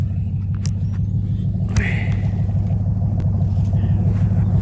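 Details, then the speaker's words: Car running through an H-pipe and an open dump before the mufflers: deep, loud, even rumble with steady pulses and no knocks or misses. It has a bad valve cover and was smoking earlier; normal running. "And then with that and H-pipe, bro, it sounds fantastic."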